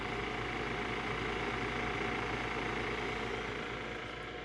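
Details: Keurig K-Cafe milk frother during a latte/cappuccino frothing run, ending in two beeps: a steady even whirring hum without surges or rattles; frother motor sounds healthy.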